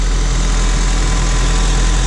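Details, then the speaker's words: Small Honda Civic idling with hood up after an oil leak repair, checked for leaks with none found; steady even low idle with no knocks, ticks or misses. Normal idle. "But it is running, it sounds good, and hopefully there's no more oil"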